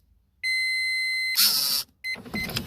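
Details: Toyota Alphard sliding door actuator motor, wires reconnected with reversed polarity and cable reattached, on a retest after repair. A steady high electric whir for about a second, then a clunk as the cable pulls. The motor runs normally.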